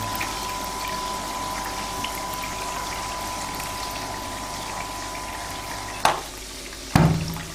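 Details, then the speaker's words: Submersible water pump running with an even hum, then shutting off with one thump as the pump stops and a sharper clack about a second later as the check valve closes. Normal operation. "ý khi máy bơm hoạt động không, bạn có nghe thấy tiếng ồn của van một chiều đã đóng thực tế bây giờ nó"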